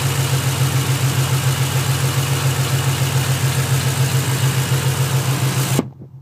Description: Clicks then stops. Clicks then stops / What is it?